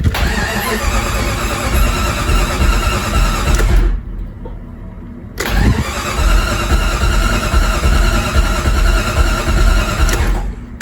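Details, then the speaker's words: 1997 Jeep Grand Cherokee with the automatic shutdown and fuel pump relays bypassed by jumpers and the fuel pump running: steady starter cranking at about three turns a second over two long tries, and the engine never catches; cranks, no start. "so we still have a no start issue even after we've bypassed our automatic shutdown relay and our fuel pump relay right there"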